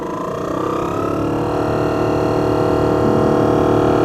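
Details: BMW E38 blower motor, which had worked only intermittently and needed a smack or a big bump, run at max speed to the footwell vents: a loud, steady roar with a whine that climbs in pitch as the fan spins up; worn motor, likely its bearing.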